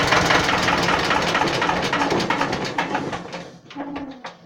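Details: Renault N 72 tractor, alternator charging (warning diode off): steady two-cylinder diesel chug about three and a half beats a second, even and clean, fading out as it is shut off with the stop tab.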